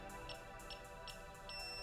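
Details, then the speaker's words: Begode electric unicycle leaving transport mode: lift switch held (two beeps), then the power button pressed five times, beeping each time with short, evenly spaced high beeps about every half second, ending in one long ready beep. "at the end it'll do one long beep which will let you know it's ready"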